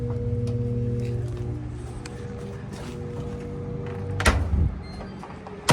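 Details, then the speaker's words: Samsung DVE50R5200W/A3 dryer on timed dry: steady low electrical hum with no drum rumble; motor energized but not starting, nothing found obstructing it, motor switch screws stripped so DC31-00055H motor replaced; dryer motor humming but not starting. "that's a motor noise that hum oh man that's not good sometimes when a motor gets something lodged in the blower or bad they make that hum noise"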